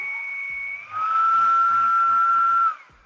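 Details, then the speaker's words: EDF fan unit from a Habu RC jet during balancing with tape weights, run up: steady high whine with coarse buzz underneath; rotor still out of balance. "So, it's still buzzing. You can hear it. You know it's right when you touch when you run up the motor and you touch the table and you can't hear a difference between the motor being off the table or on the table."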